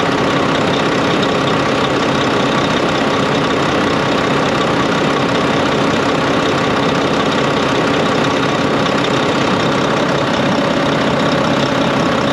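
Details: Volvo VNL D13 semi truck after replacing the crimped pipe O-ring: steady, even diesel idle with a smooth low rumble and no windy whoosh; noise fixed.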